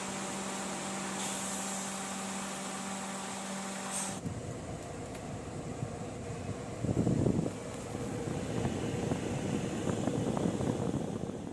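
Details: Perodua Alza after the noisy, burning-smelling AC compressor was removed, inspected and refitted: steady even whir from compressor and blower, no grinding or rattle, AC cooling; normal compressor operation.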